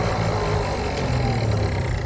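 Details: Cheap project two-stroke scooter after carburetor fiddling, kick-started: buzz surges and sags instead of holding steady pitch; erratic running, owner suspects mixture too lean on throttle.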